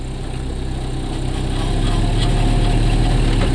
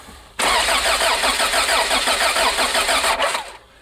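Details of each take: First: 1986 Toyota van, first start after sitting 5 years, new battery terminal, idling in gear at about 900 rpm, temperature good: low even rumble around four beats a second, no misses or hunting; normal idle. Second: 1986 Toyota van, sat for five years: engine catches and runs briefly on starting fluid, then dies and cranks in short bursts; fuel pump heard running but injectors lost prime; fuel filter to be checked.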